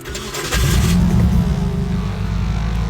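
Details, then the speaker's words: 2000 Nissan Altima with a newly installed Speeduino ECU, first start after jumping the ECM relay ground pin, before base timing was set: catches after a short crank, loud and lumpy with an uneven stumbling beat; starts but runs rough. "There it is. Whoa! Started for like half a second."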